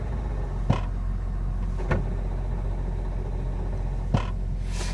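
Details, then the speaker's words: 2002 Jeep TJ with NV3550 five-speed: steady low drone with a few sharp clicks while parked in neutral with the clutch released, silent while driving; owner guesses input shaft or pilot bearing, cause unconfirmed. "here's no noise when I'm driving uh it's just when it's in uh neutral when I'm parked and then uh sitting in neutral"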